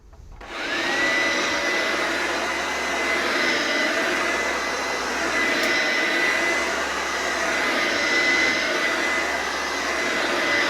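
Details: Electrolux The Boss USA-made upright vacuum after lubricating the brush roll bearings: steady even motor whine with smooth airflow rush, no rattles or surging; sounds much better, running healthy.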